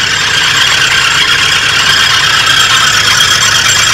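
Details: 1983 Oldsmobile Delta 88 Royale starting immediately and idling smoothly under a loud, constant high-pitched squeal; owner suspects an accessory pulley, possibly the alternator, and spraying it did not stop the noise.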